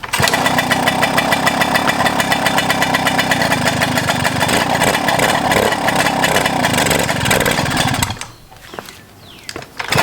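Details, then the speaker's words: 1997 Suzuki JR50 two-stroke at revival start, carburetor still needing rebuild: raspy, rapid two-stroke buzz holding a steady pace about eight seconds before dropping off; sounds healthy; normal two-stroke running. "Well, it ran, and aside from the barking competition and the annoying children, I was actually able to like listen to it, and it sounds healthy, so that's good."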